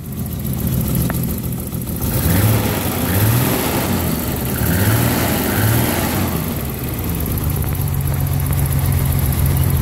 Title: M20 death rattle